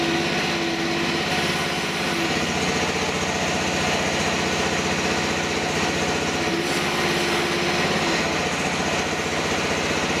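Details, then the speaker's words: DIY mini excavator mower with the hydraulic motor unhooked and its two hoses tied together. The small engine drones at high speed with a heavy, laboured note, loading down about the same as with the motor on; owner doubts a flow control valve would help. "There, you can hear the engine loading up just about the same as when the motor is on there."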